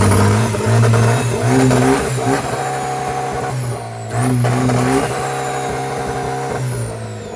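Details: Budget drag-race build car, first turbo test in park, rev-limited to 4000 rpm, exhaust held by two bolts: two strong revs with clean rising turbo whistle climbing and falling with engine speed, no grinding or rattle; turbo spooling fine.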